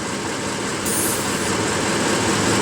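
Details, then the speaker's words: Ford F-150 idling: steady airy hiss heard from the passenger-side wheel well, a vacuum leak where a vacuum hose chafed against the fender well. "I get down in the wheel well and every so often I can hear a hissing sound and so I grabbed these to see if I can track it down"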